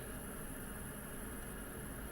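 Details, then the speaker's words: Espar D2 diesel heater in a van after atomizer screen replacement (about 530 hours since last service), at 40°C and ramping to full speed: quiet steady hum with faint fan whir, no surging or pulsing; normal even burning. "that's 40 degrees celsius you can hear it ramping up now it's running full speed it's pretty much about the highest temperature that we'll get"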